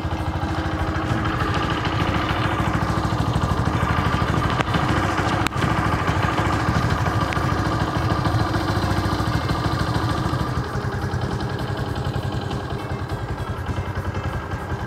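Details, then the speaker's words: Yamaha Jupiter MX 135, six years old, just after an engine overhaul with parts replaced: steady idle with a fast, light metallic tick from the top end, about three a second. Noticeable top-end knocking. "kita dengerin Hai ini kayak gini udah ganti semua suaranya kayak gini lumayan ada knocking nya top kayak gitu kan"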